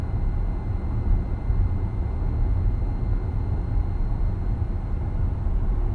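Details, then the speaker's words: 2023 Acura MDX (4th gen) at about 40,000 km, road test: faint high whine over road rumble around 55 km/h, growing loud and high-pitched near 70, varying with throttle; suspected transmission, dealer diagnosis under warranty. "So right now, as you guys can see, around 55, you can hear that faint whining sound. And if I accelerate up to around 70 mark, it gets really loud and high pitch."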